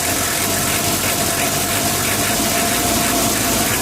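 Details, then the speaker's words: 1987 Mitsubishi L300 diesel after a full tune-up: steady, even idle with a soft clatter and no misses or hunting. The old engine sounds smooth and healthy. "itu bukan tidak ekstrim bekasnya guys ya halus ya kedengarannya seperti biasa aja"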